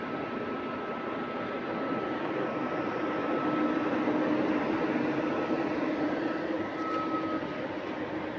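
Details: GAL EH179 electric bus on route 321, after a weird noise was fixed, heard while moving: a steady high traction motor whine at even pitch over road rumble with no knocks or grinding, healthy.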